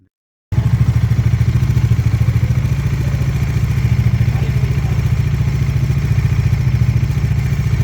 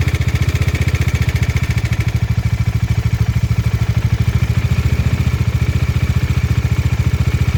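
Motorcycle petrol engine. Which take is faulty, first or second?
second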